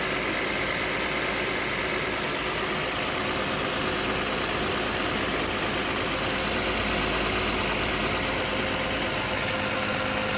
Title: Lexus es350 2010 , V6 3.5L rattle/creak noise at cold start